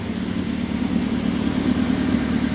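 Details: 2010 Toyota Avanza after the fault was fixed: check engine lamp off, idle down from over 1200 to 1000 rpm, and expected to reach about 900 rpm when warm. Steady, smooth even hum with no misses or knocks, a normal idle.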